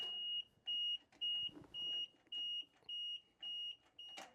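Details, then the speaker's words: Power Trac PT 1850 diesel mower/tractor, after briefly firing then dying: eight even high warning beeps about two per second with no starter engagement; electrical power present but won't crank, owner suspects a safety switch or loose connection. "so we have it won't turn at all we do have the beeping obviously so we know we've got electrical to some of it"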